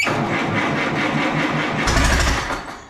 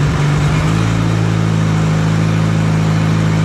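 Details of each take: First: Allis Chalmers B tractor with radiator off and freshly charged battery, started on ether: cranks, catches, runs rough about two seconds then dies once ether stops. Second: Allis Chalmers B tractor gas engine, running after a long repair, with oil pressure and after a throttle check. A steady, low, even idle with a firm beat and only a slight speed dip. Normal idle.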